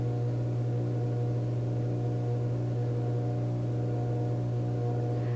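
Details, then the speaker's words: Vintage 1937 electric fan plugged in for the first time: loud, steady low electrical buzz with no clear spin-up as the motor struggles to start; owner thinks it needs oil. "plug it in in three two one our rate is really really buzzing let's see if it actually takes off"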